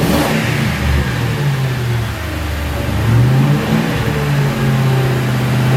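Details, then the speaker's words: 2006 Ford Crown Victoria P-71 V8 after muffler modification (internal passages bored, Helmholtz resonator defeated), revved while parked, no load: blips up and settles back, slightly louder, throatier note, no rattles or leaks; normal exhaust note. "Well, definitely not as dramatic as slapping on a set of Magnaflows. A little louder."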